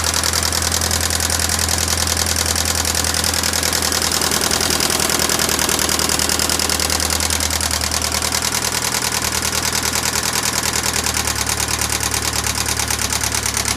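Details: 1996 Pontiac Sunfire 2.4L at steady idle with a fast, crisp, even ticking of about three per second from the top end; the head and valves were restored and the lifters replaced, but the tick persists with its cause unknown.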